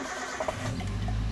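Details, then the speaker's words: Toyota Avanza first start after engine overhaul, transmission in neutral: brief crank, then it catches cleanly into a smooth, even hum; rpm starts near 1500 and drops toward 800 idle. Normal engine start. "guys Hai langsung toh nah dan itu pm-nya mulut perlahan mulai turun turun turun turun ya jadi pertamanya lah itu di 1500"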